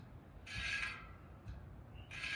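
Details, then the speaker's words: Honda XR150L front wheel spun against an object held beside the rim: light scraping bursts come and go as it touches then clears each turn, showing a wave in the rim; wheel out of true, to be trued on a stand. "you can hear how it's hitting and not hitting. So it's got a little bit of a wave to it."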